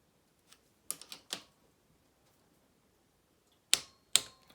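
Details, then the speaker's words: Sharp, dry clicks from a torque wrench set to 12 reaching spec while tightening the top-end gasket bolts during a Honda Z50 top-end rebuild; it is working as it should. "yeah hear that click there so that's the torqued that that's telling you that it's torqued to exactly where you want it but it won't go any further"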